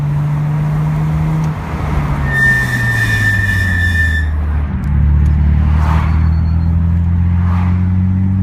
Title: Ksport brake squeal!